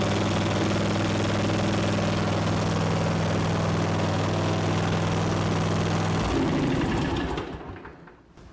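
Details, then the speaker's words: Ariens mower with Kawasaki FR691V engine, cranked to fill a newly changed fuel filter. Steady even cranking at about 3.5 turns a second for six seconds, then it fires up cleanly: a normal, healthy start. "we'll uh we'll crank this a few times and get some fuel in that filter real quick hold your ears"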